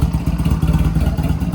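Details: Honda Rebel 250 first run after sitting 27 years, choke fully up, neutral, weak battery, no fuel tank fitted yet: steady even idle with no knocks or rattles; sounds healthy.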